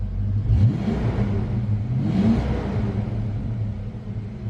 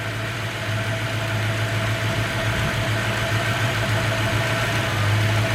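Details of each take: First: Warmed-up '93 Mustang Cobra 5.0L V8, after fixing a cylinder that left it running on 7 cylinders: revs up cleanly twice with no hesitation between 2000 and 3000 rpm; check engine light off, healthy. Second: 1993 Mustang Cobra 5.0L V8 Fox Body with hesitation at 2000–3000 rpm and power loss: uneven loping idle with a gap in firing rhythm; one cylinder dead though spark present, running on 7 cylinders.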